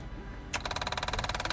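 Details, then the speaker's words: Leopard 45 catamaran's Lombardini LMG9000 9 kVA marine diesel generator, on temporary power after a blown 10 A fuel pump fuse was replaced: steady rapid ticking buzz of the electric fuel lift pump running normally. "Right, so I've just run temporary power. You can hear it running. I just want to have a listen to see if the fuel lift pump is going."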